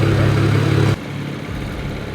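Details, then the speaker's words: BMW 335i N54 first start after fitting F54 Super-TD04 twin turbos (700 hp+ build), turbos primed beforehand: steady, even low idle hum with no knocks, ticks or hiss, then settles quieter; normal healthy idle. "it sounds good sounds good sounds healthy"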